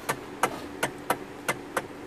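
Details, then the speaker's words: Hyundai Sonata steering column: sharp dry metal clunks about every third of a second, sounds like rack and pinion but caused by worn flexible coupler (part 56315 2K000FFF); same issue on Accent and Kia Optima. "But this noise that happens down here, sometimes it sounds like it's the rocking pinion, but it's not the rocking pinion, it's actually this causing it, because this wear out, so it causes it to make that sound,"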